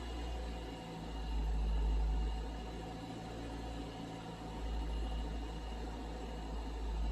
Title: my 2018 civic type r with weird noise from engine bay.